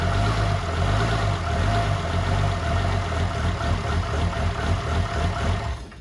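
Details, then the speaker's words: 2007 truck with 6.7 Cummins swap, 14 mm cam, first fire, downpipe only, battery about 10.5 V: deep, steady diesel idle with faint lope from the cam, otherwise smooth; normal idle with mild cam chop. "It fired right up. You guys heard it. Idled pretty smooth. I think the 14 mil is giving it a little bit of the chop."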